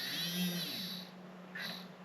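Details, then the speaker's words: WPL 6x6 RC crawler, bought broken on clearance: a whiny electric motor hum with an uneven buzzing rattle that comes and goes as it spins; the motor is loose in its mount. "Okay, so yes, we do have a loose motor."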